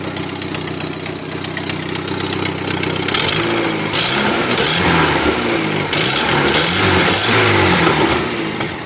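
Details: Daewoo Lanos after a swap to a 1.4L GM Family 1 engine: a sharp ticking puff with each firing pulse that gets louder and quicker with revs; exhaust manifold leak from two broken studs, still to be fixed.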